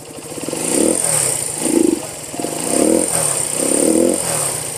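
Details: 1973 Honda CB125 single, unused for months, started with one kick: it rises and falls cleanly through four throttle blips with no knocks or rattles, then settles back evenly, a healthy engine.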